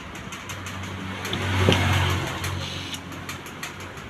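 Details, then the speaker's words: Known-good washing machine torque motor, removed from a fully automatic washer and bench-tested on mains phase and neutral: short smooth low hum swelling for about a second with a single click as it pulls in; normal. "വലിഞ്ഞകത്തേക്ക് പോകുന്ന കേട്ടോ, torque motor വലിഞ്ഞകത്തേക്ക് പോയി. ഇത് നല്ല torque മോട്ടറാണ് കേട്ടോ, sound കേൾക്കുന്നുണ്ടോ?"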